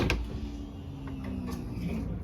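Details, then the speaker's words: Audi TT Mk1 fuel pump priming when the door is opened: short, steady low electric hum with a faint mechanical whir; normal priming, pump pressurizing fuel for the engine. "That sound of priming is the fuel pump preparing itself to pump fuel and get it to the necessary parts of the engine."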